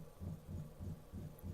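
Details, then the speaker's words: Workbee 1010 CNC with PSoC5 GRBL controller, jogging an axis: dull low thumps about three a second over quiet hum; clunking occurs only during jogging, still unresolved. "okay so you can hear some clunking and that's that's you know still a problem so I I am gonna work on that a little bit but it only happens for when you're doing the jogging"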